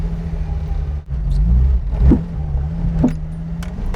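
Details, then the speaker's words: Fiat Dino driving over a stretch of road that reliably triggers it: a few sharp, hollow knocks over road rumble as the suspension works; owner suspects possibly a collapsed bush, not confirmed. "Hear it knocking? Well, that's the noise, and yes, it's been troublesome."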